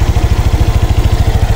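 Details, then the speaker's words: Honda Click 125 V3 scooter idling smoothly after repair; earlier hard starting, stalling in traffic and an odd knocking noise are gone. Steady even low putter, regular firing, no knock or ticking. Idle RPM unconfirmed. "saka yung lagutok dito Wala na pinong-pino na yung kanyang andar at saka hindi na rin siya hard starting"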